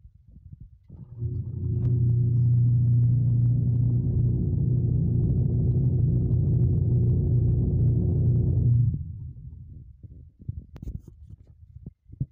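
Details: Washing machine after repair: about seven seconds of smooth, steady low hum that spins up and stops cleanly, no knocking or grinding from the drive.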